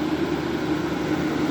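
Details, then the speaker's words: 1962 General Electric Lo Thinline air conditioner running on high cool: a steady low hum under a smooth, even rush of air, no rattle or grind; normal operation. "my whole front yard at night would be flooded with this sound I would come outside around 9 something at night where it's pitch black a hot Summer's night as the Jordan you would say and you just hear this this noise just floods the yard and I've always loved this sound"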